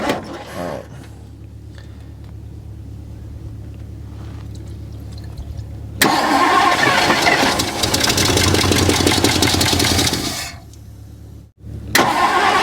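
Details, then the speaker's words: 1964 Mercury Montclair four-door, last registered 1995, stored 28 years in the Arizona desert, cranked in park with the fuel pump hooked up: churns a few seconds, then the V8 catches and settles into a strong, steady run. "she's a runner wow that's too easy we never get that no"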